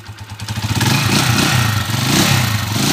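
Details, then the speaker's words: 20-year-old Honda TMX155 single-cylinder motorcycle after overhaul: even idle thump swelling smoothly with throttle, no knock or rough clatter, now running clean; break-in period to follow. "Ayun oh kaganda na naman ng kalugkog niya mga kao wala na yung miaw wala na yung magaspang"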